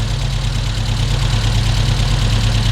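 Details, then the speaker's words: Volvo 145 with Weber carburetors after tuning, started with a few sprays of starting fluid: deep, steady idle rumble with no coughing, stumbling or knocks; even rhythm, properly tuned. "i had to spray a few times but after a moment it started okay and uh listen to this i love it and it doesn't cough at all"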